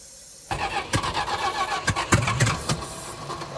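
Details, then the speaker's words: Thermoquad carburetor on a 440 big-block Suzuki Samurai in cold weather: starter chugs over in uneven bursts, engine turning but never catching; cranks but won't fire. "If Dolce can make his thermmo quad actually work on this garbage. It's not firing up. Huh."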